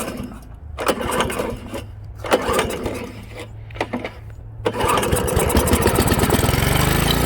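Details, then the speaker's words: Honda HRA215 SX self-propelled mower: a few pulls cough and die, then it runs fast and steady only on choke; the carburettor main jet and emulsion tube are believed plugged. "is that the carburetor, there's a bowl and a emulsion tube and a jet, tells me that's plugged, because right now it only wants to run off the choke circuit, which forces extra fuel into the engine, bypasses that emulsion tube and that jet down there."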